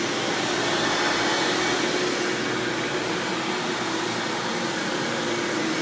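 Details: 1997 Hoover Dirt Finder Power Drive self-propelled upright vacuum, model U6331-930, Elite style, running: steady, even rushing hum with faint constant tone, no rattles or surges; runs exceptionally smooth and surprisingly quiet for an Elite, normal running.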